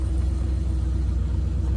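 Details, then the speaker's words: 1975 Buick LeSabre, 350 V8, 61,085 miles, on the road at cruise with top down on a 75-degree day: smooth, steady, relatively quiet low rumble with no belt squeal or tapping; running healthy. "So far, it's 350 sounds good. Obviously, it's not gonna have a muscle car sound or anything, but it's relatively quiet."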